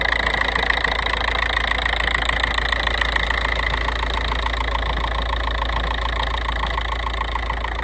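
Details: Unidentified noise from an idling 1.9 TDI diesel: a steady, fast ticking clatter with a thin whistle-like tone on top; the cause is not known.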